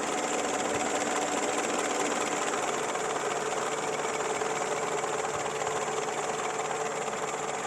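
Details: Peugeot 205 TU engine with a noise and shaking on acceleration: a steady running drone with an uneven light ticking around two per second on top. Abnormal engine noise, source not pinned down.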